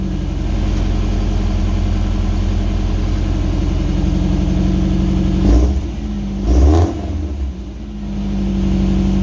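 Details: Subaru wagon, first start after welding in a new Lukey Turbo muffler to replace a straight-through one: deep, steady idle with a couple of clean throttle blips settling back; exhaust sounds even and well muffled.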